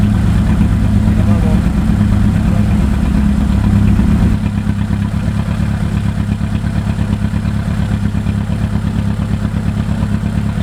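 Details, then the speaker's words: 1992 Honda Accord CB7 track build, first start after engine install and custom wiring harness, running essentially open header; loud, raspy but even idle with steady low beat; engine idles fine, just very loud. "so I'm just stepping back right now because it is really loud because it is basically like open header right now oh yeah there you go it's idling yeah"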